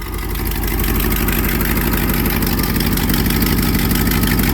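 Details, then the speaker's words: 1982 Triumph TR8 V8 idling with a loose, uneven puffing of about three beats a second; exhaust leak, also smelled, seeming to come from one spot. "So, you can definitely hear there's an exhaust leak. That's not normal. I can definitely smell there's an exhaust leak."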